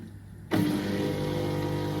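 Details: Drain/condensate pump of a Whirlpool FT M11 82 FR heat-pump tumble dryer, side cover off, after the owner's fix for the recurring pump error. Silence, then the small pump motor starts and settles into an even, steady hum with no grinding; it turns freely.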